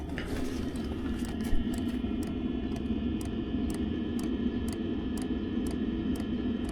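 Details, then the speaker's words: Unmodified caravan diesel heater fuel dosing pump, recorded outside with the camera right next to it, with a breeze and the heater exhaust running. Sharp, evenly spaced ticks about twice a second over a low exhaust rumble: normal pump ticking. "but there's our there's your fuel pump with nothing done to it I'll bring the camera right to it so we can get we'll get a consistent sound from it right next to it"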